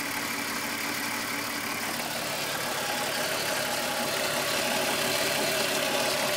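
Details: VW Golf VR6 2.9, 103,000 km, steady idle: fast, even metallic chatter about four per second over a bright hiss. Chain-rub noise that grew louder after the upper hydraulic tensioner screw was changed; chain or tensioner rattle suspected, unconfirmed.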